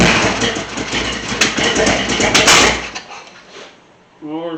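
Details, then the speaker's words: First start of a newly installed 500+ hp 383 in a 1985 K3500: loud, ragged bursts with irregular pops that never settle, then fade out; hard start and rough running. "okay the timing was out a little bit we got it to kick off without backfiring so uh now we're gonna try again go ahead"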